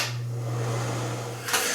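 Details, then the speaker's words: Broan NuTone bathroom exhaust fan, about 20 years old, after replacing the noisy motor, tested before reassembly: smooth, steady low hum with even airflow hiss, no rattles or grinding; sounds a lot better, healthy new motor. "Okay, at this point you could actually test it if you wanted to before putting the whole thing back together. Well, that sounds a lot better."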